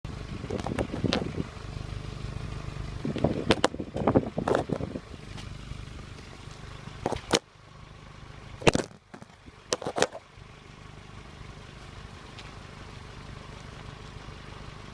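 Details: Renault Clio 1.2 16v petrol idles roughly, then stumbles and pops unevenly when revved; it also judders and loses power when accelerating and changing gear (not the clutch). Cause unconfirmed; misfire when revving.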